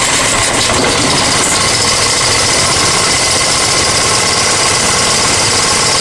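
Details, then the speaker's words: Honda EX1000 generator after carb cleaning and idle screw adjustment: steady, fast buzz with no stumbling, but it only keeps running at half choke, so mixture is still off; output light solid. "one's at half choke. That's what it needs to at half choke. So something's still not quite right, but as you can see there, that light was solid."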